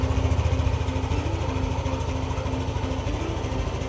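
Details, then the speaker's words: Yamaha NMAX 155 V2 after spark plug and plug cap replacement and magneto-area work: fires up and settles into a steady, even low putter with no misses; previously hard-starting and needing push-starts, now one click. "So ayan, kitang-kita niyo naman yung performance ng motor. Yung dating pahirapan sa pag-push start, ngayon one click na."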